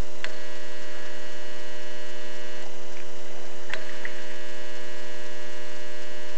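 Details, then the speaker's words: Ferroresonant regulator transformer powering a compact fluorescent lamp: steady, harsh buzz from the ballast filter capacitor's charging current surging 120 times a second. An incandescent lamp gives only a faint start-up tick. "and that's cuz the uh that is again the 120 times a second you're hearing that surage current"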